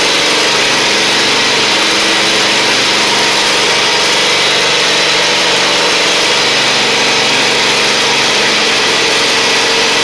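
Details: Husqvarna LGT2654 lawn tractor V-twin: steady, even run with no knocks, misses or hunting under blade and drive load; engine healthy.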